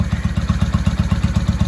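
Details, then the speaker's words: 1995 Honda Shadow VLX VT600CD V-twin idling, first run in years, air filter off, baffles drilled out so loud; lumpy, even pulses about eight a second, otherwise steady and healthy; normal idle, unbaffled exhaust. "She sounds good to me. Anybody know? Oh, the baffles were drilled out of this thing. There's no baffles in this. That's why she's loud."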